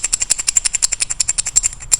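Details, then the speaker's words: DeLonghi coffee machine makes rapid, sharp metallic clacks, about ten a second, while brewing or moving the brew unit; a worn shaft and nut in the brew unit drive knock together, and replacement is recommended. "некоторые металлические детали бьются друг о друга. Это означает, что внутри вашей машины есть металлические детали, которые перемещают заварочный блок, и на этих металлических деталях есть вал с гайкой."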